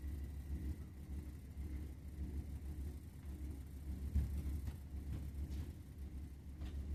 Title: Burnham Alpine Boiler makes rumbling noise #boiler #rumbling